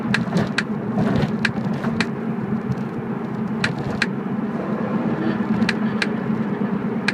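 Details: BMW E46 while driving: sharp, irregular clicks, often in pairs, over steady road rumble, coming from the rear end. Cause unknown.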